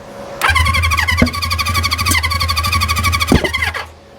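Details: 1973 Honda CB350 Four with new condensers, on choke: catches, runs lumpy with uneven popping for about three seconds, then dies; owner suspects timing 180 degrees out; misfire while starting.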